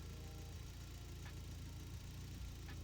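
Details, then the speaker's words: Toyota 22R-TE turbo pickup with Haltech and no idle control valve, idle set to about 900–1,000 rpm after an idle screw adjustment; radiator fan just came on. Steady, even idle with no dips; it no longer drops like before. Normal idle. "Just a little more happy. It didn't drop down like it used to."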